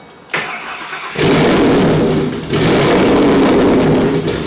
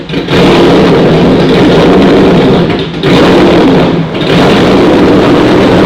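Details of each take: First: Freshly refreshed 2011 Ford Mustang GT, brand-new Coyote V8, first-ever startup after hooking up the trans neutral safety switch: catches quickly, deep loud even rumble, exhaust pulses bouncing off the concrete; healthy start and idle. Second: Freshly refreshed 2011 Ford Mustang GT, new Coyote V8, first startup before the dyno: extra idle air added, loud steady fast idle at about 1100–1400 rpm, still slightly high idle; wideband sensors not reading.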